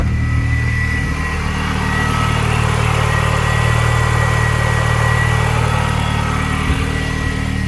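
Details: R53 Mini Cooper S after reinstalling new power steering lines, steering assisted, fluid topped up, no leaks: steady, even four-cylinder idle, smooth low hum, no pump whine or groan; healthy.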